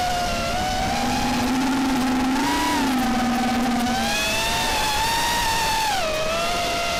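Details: RDQ 2205 2450kv brushless motors newly fitted on a quad, flying fine: high, wavering whine rising and falling with throttle, odd buzzy edge, sounding strange in playback; unusual motor noise, cause unknown.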